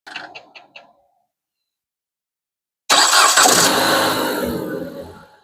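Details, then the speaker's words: 2010 Jeep Patriot that cranked but wouldn't start, after repairing an electrical short in a relay that blew fuses and replacing parts: a few clicks, pause, then engine fires first try and catches cleanly; normal start. "I just want to say, y'all, we did it. We got it running, y'all."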